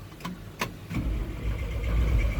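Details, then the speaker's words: Roughly 1960s–early 70s GMC C5000 big six, unrun 8 years, restarting: a few sharp clicks with no cranking, then it catches into a low, rough idle; starter has a dead spot, fuel filter also clogging with rust. "definitely have a dead spot on the starter don't we"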